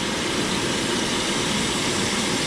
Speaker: there she's sucking it through i had already purged my hoses all the way up to the tank so that's why you heard what you heard